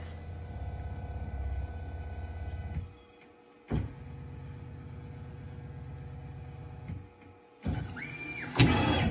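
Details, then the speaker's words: Onefinity CNC running a probe XYZ sequence with a quarter-inch bit: short bursts of smooth stepper whir separated by quiet pauses as it probes Z, then X, then Y, each axis stopping cleanly; normal probing sequence. "so we'll go ahead and hit set and it's going to come down and it's going to probe for zero first little probe for x next and then it'll probe for"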